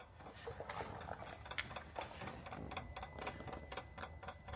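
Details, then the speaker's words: 2014 Peugeot Partner 1.6 HDi diesel after additive tank replacement: sharp light ticks about twice a second as the diesel additive pump is activated and primes normally. "So now what we've done, if you can hear, we have activated the um pump for the diesel additive"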